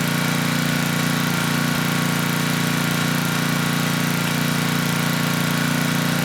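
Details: Tecumseh HM100 10hp engine on a Western Hemisphere 6,000 W generator, after oil top-up: even, steady thump with no misses, but a bit slow. Engine speed low; governor spring adjustable once the carb and needle-and-seat are cleaned.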